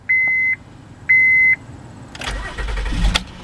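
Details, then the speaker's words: 2012 Honda Pilot EX-L 4WD, J35 3.5 L SOHC VTEC V6 with variable cylinder management, 39,176 miles: two chimes, quick crank catching cleanly into a smooth, even idle; healthy engine start. "Turn that off, and as you can see, it's running perfect. Very smooth engine."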